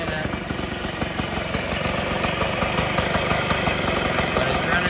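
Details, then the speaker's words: 1958 Allstate (Sears) Vespa 125cc two-stroke, sitting a long time, first-kick cold start on choke with fresh gas; even popping idle holding steady speed, no stumbles or dropouts, smooth healthy idle while warming up. "well that started up a lot easier than i thought it would"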